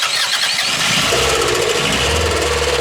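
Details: Old Toyota car run with no oil left, heavy smoke, after hard throttle use: cranks, catches and settles into rough, uneven three-cylinder idle with a missing beat; thrown connecting rod, hole in the block.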